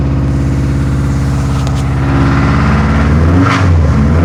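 Boxer engine revs with a regular knock riding under the exhaust, about three or four a second, consistent with a worn rod bearing.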